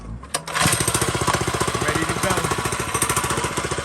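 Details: 212 Predator go-kart engine with new carb installed, tire reseated (still leaking): small single-cylinder starts and settles into a steady, even rapid putter of about four firings a second; runs smoothly, normal running.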